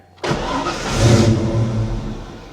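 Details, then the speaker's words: 1989 Ford Mustang Foxbody V8 5-speed, brand-new engine, in position five anti-theft mode, meant to stop it running: fires abruptly, revs about a second, sags and dies within two seconds; starts then stalls, raw fuel smell. "yeah it starts but it immediately dies uh-oh well I thought anti- theft mode was supposed to make it not run at all that's what it says"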